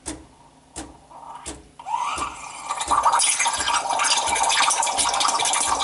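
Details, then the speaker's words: Breville 800ESXL Duo-Temp Pro espresso machine, steam wand on steam setting after heat-up, frothing milk toward 160–180: soft hiss builds into loud steady airy rush with squeaky tone; pitch changes as it warms; normal steam wand squeal. "so I'm gonna turn it on and this is quite loud it's very squeaky type itch but that's good that's normal if you ever go into a coffee shop you will now probably notice that all the machines are squeaking and that's good"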